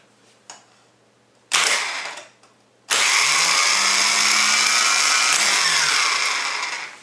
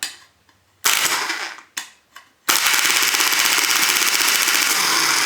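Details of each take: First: Volvo EC14B/EC15B mini excavator starter number three, fitted with solenoid number one, on the bench: a short burst, then a sustained high whirr for about four seconds winding down evenly. Starter spins freely and works normally. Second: Bench test of a Volvo EC14B/EC15B mini excavator starter motor: a few clacks, then fast steady solenoid chatter at about 3–4 cycles a second. The hold-in coil is open, so the pull-in coil engages, releases and repeats.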